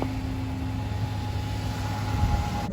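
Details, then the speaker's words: 2012 Dodge Charger after replacing a bad starter that had caused a grinding no-start. Steady low engine hum with a faint constant tone, smooth with no misses or knocks; normal idle after several restarts. "all right so everything started up right now just uh reading a couple codes right quick and other than that uh it's running good it's running fine"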